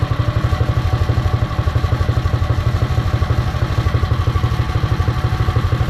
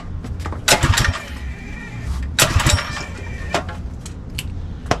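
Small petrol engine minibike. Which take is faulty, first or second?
second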